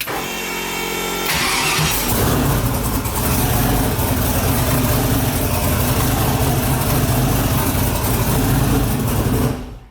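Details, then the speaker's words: Engine after electrical troubleshooting traced to a basic fault: starter cranks over much faster, fires quickly and settles into steady idle; normal cranking and start. "it starts fires pretty quick the starter cranks over a lot faster kind of obvious stuff"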